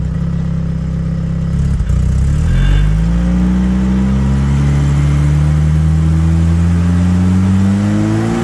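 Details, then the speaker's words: Classic Mini towed in not starting or running properly, smoking; after valve adjustment, fuel pump work and idle mixture set, revved at standstill: pitch climbs slowly and lazily, quite a bit of smoke when revved, cause still undiagnosed. "it doesn't want to rev, and it's got quite a bit of smoke if I rev it, so I'm going to have to diagnose this further and see what else is going on."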